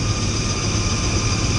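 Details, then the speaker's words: Rooftop commercial ventilation unit: steady roar of a belt-driven fan with a faint, high, thin squeal on top. Dry fan bearings need grease at the Zerk fitting. "She hears a high-pitched sound, and you can hear when this thing started up. There's definitely a high-pitched sound. I don't know if you guys can hear it right now, but they don't sound too well. There's a Zerk fitting right here, and this thing definitely could use some grease,"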